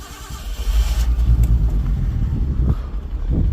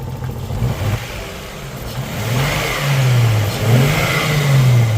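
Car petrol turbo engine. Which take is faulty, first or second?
first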